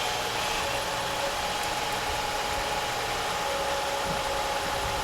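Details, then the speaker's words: 2005 Acura MDX after the power steering groan and whine was fixed with two new O-rings and fluid, cold start at about 30°F: steady engine hum with steering worked lock to lock and no whine or groan. Pump quiet and healthy. "let's do a start right now and we'll try it out it's about 30° so hopefully it won't whine all right so far so good"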